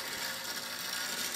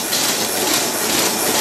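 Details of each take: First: Electrified clock time movement from about the 1930s–40s, original electric motor conversion, being restored: steady high-pitched buzzing whir with fine chattering, loud but even; normal running for this old movement. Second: 1930s Paces Races horse-racing payout slot machine mechanism running on its motor: loud rhythmic clacking about two beats a second with a big clunk; slack hanging chain and a wheel wobbling from being brazed out of line.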